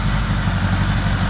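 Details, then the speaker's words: 1975 Honda GL1000 Gold Wing flat-four after water pump reseal with new gaskets and O-rings, running to get hot: low, smooth, even idle with no tapping, knocking or misfire, no leaks. Normal warm idle. "But, I'm happy. I don't see any leaks. Right now, it's sounding pretty good."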